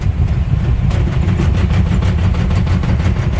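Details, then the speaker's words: 1979 Ford Marque RV, driven after sitting 20 years on dry-rotted tires, about 33–34 miles in: a quick, regular flapping thump grows louder under road rumble as the rear tire's separated tread worsens. Tire tread separation. "whoa that Tire's getting worse I'm gonna have to pull over check that out it just got really loud"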